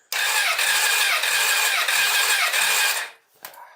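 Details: 2008 Honda CBF1000 cranking no-start on jump pack, key on, full throttle: starter spins steadily about three seconds with even compression pulses, never fires. Fuel pressure, ignition and diagnostics checked fine; plugs earlier swapped between cylinders; compression confirmed; flooding suspected.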